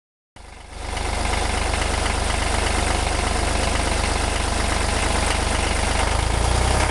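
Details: 1963 Renault N70 three-cylinder diesel tractor after fitting three new cylinders in October 2013, 60 hours since; catches and settles to a steady even chug with no knocks; normal idle.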